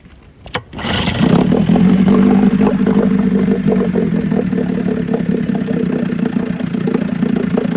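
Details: 1956 Scott Atwater Bail-A-Matic 10hp outboard, first test run after rebuild for overheating and low compression (cylinders honed, rerung, new crank seals, impeller, fuel pump diaphragm, carburetor cleaned, points set). Fires first pull into a steady, even two-stroke idle; normal start and idle.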